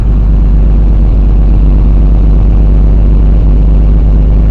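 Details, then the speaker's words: 164 engine after sitting several days, started choked: steady, even idle with a raw, hollow low rumble, no misses; holes in the primary muffler and a smaller hole in the resonator, exhaust leak. "I don't hear any misses in the exhaust. There are some holes. There's a hole in the primary muffler."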